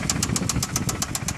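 A sharp, metallic knock repeating about eight times a second over a steady idle points to an internal knock of unknown cause.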